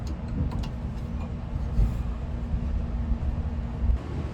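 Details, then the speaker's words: New passenger-side power window motor for a 1980 C3 Corvette, bench tested before installation: low even hum with a faint steady tone that stops cleanly. The motor runs normally; the old one was dead. "So, as you can see, I bench tested the new motor. It works fine."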